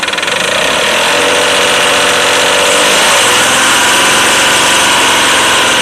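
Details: Engine idling with a fairly regular rapid knock, about three to four a second, over a bright clattery top end; cause unknown. Engine knock.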